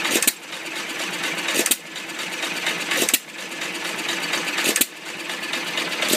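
Slow, even firing bangs about every second and a half, around 42 a minute, coasting between them; the old engine runs steadily and healthy.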